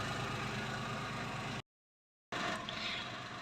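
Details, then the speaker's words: 2003/04 Daewoo Matiz (Chevrolet Spark) exhaust at idle after a temporary muffler repair with a soda-can patch and JB Weld muffler tape, engine run about 20 minutes: soft, steady note with no puffing or raspy leak; sealed and healthy. "come back from washing my hands and already I can hear that this sounds way better than it was sounding before"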